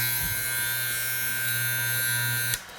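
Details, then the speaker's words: Andis Fade Master clipper after fixing blades that would not move, by centering the cutting blade and lining its first tooth up with the comb blade's. Steady even buzz, no rattle, mic held close, run without oil: normal sound. "that's how your Clipper should be sounding that's without oil"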